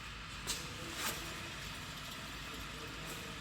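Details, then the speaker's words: 2011 Toyota Tacoma 4WD, 6-speed manual, 1GR-FE, 160,000 miles; front wheel spun to compare against the humming side: quiet spin with only faint brake brush, no hum or growl. Normal wheel bearing. "Nothing here, right? Barely some little noise from the brakes, but listen."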